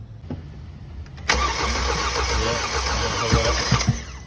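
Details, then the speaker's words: 2020 Hyundai Elantra 2.0 Nu engine with P0017 and failing exhaust cam phaser, buttoned back up without repair: short crank, then it starts and runs rough and uneven with occasional stumbles and slight tapping, check engine light on; unstable condition. "We put it together and the friggin' thing started. I can't make this stuff up. Check engine lights on. I mean, it's not perfectly smooth. You can still hear a little bit of tapping noise. But this thing's running."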